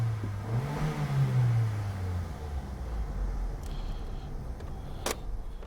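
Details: 2008 Opel Astra 1.4 on road test after repair of misfire with engine and battery lights on (P0141): low even rumble building under throttle then smooth cruising over road noise, no misfire or stumble; lights stay off.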